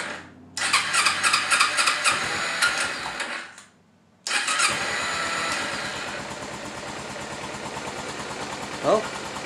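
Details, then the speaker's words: 2011 Kawasaki Ninja 250 after battery charging: cranks, catches and settles into an uneven, hunting idle that holds only on choke and dies as soon as the choke is turned off; dirty carburetors need cleaning. "it's even idling with the choke on after hearing the bike run on choke we can assess that the carburetors need to be cleaned"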